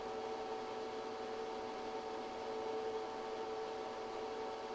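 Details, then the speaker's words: ChocoVision Revolation 2 chocolate tempering machine melting chocolate toward 108°F: quiet, even motor hum with a soft steady tone and no knocks or scraping, running normally. "Over roughly 20 minutes, your chocolate will continue to climb toward the 108° melt point."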